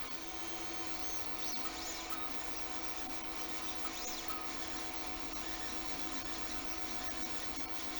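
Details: Anycubic Mega X 3D printer, bought broken with PCB smoke, printing a benchy: steady electronic stepper driver whine with soft, even motor movement underneath; drivers heard more than motion system, running normally.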